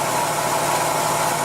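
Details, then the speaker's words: Engine with intermittent random misfire, checked with a lab scope on the ignition coil wire: a short stretch of even, steady idle with no stumbles or skips, running as it should at this moment. "I don't see a misfire I don't hear it either this running as it should be"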